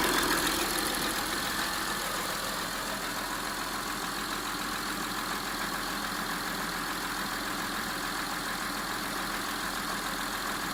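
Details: Honda Ridgeline Gen 1 V6 at idle, engine half-warm: faint, fairly regular knock about three or four a second under a hissy engine note; owner says it is louder and clearer when cold.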